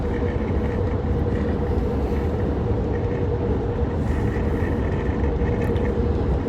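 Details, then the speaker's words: AEV truck (DT4545) at 80–85 mph into a headwind, before fix, heard from the rear seat: faint steady hum-whistle over highway road roar; wind noise from air leaking past the glued-in rear glass seal, taping planned. "we must be going against the wind now because i hear it a little more going this direction"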